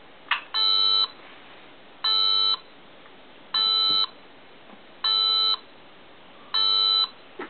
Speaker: a beeping noise will be heard until the correct button on the next brick is pressed start